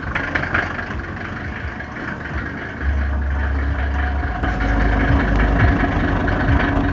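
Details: Mercedes OM605 diesel idling with a hard, fairly regular knock, roughly three to four a second, over the diesel clatter; source of the knock unknown.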